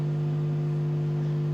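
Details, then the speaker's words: Amplifier with two transformers, one per mono channel, on one shared breaker, before the fix: steady buzzy low hum from both channels; transformers out of phase. Fix: reverse one transformer's mains input. "Hai apa kabar dengung juga ya keduanya berdengung karena apa cb-nya jadi satu yang fasenya ini solusinya adalah kitab"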